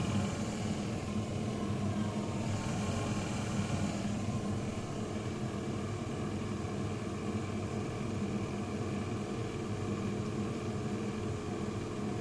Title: Growling rattling noise just before door broke again